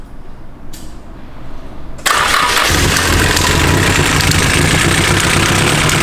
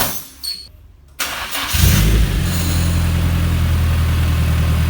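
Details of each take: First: SR20 swapped Nissan 240SX S13, first start, cam angle sensor timing uncertain, oil then found leaking from cam chain tensioner: cranks, catches after a couple seconds, runs loud and uneven with lumpy beat; rough first start. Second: Nissan 240SX S13 with SR swap, first start-up, owner hoping for no more chain knock or oil leak: short crank, quick catch, then smooth steady idle with an even beat, no chain slap or rattle; healthy.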